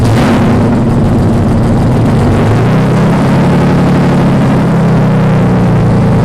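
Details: BMW 318i engine swap, first start after fuel lines swapped, no exhaust fitted yet: very loud, raw, deep roar at steady speed with nothing muffling it; loud exhaust noise from missing exhaust system.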